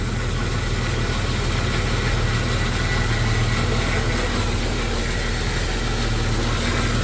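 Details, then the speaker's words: Jeep Comanche under restoration, timing way off: low, rough idle that sags and slows now and then instead of holding steady; owner was told a ground issue or TPS, cause not confirmed. "Yeah, you can hear it slow down like right now. Yeah. So, I've been told that's a Reix grounding issue. Either that or like TPS."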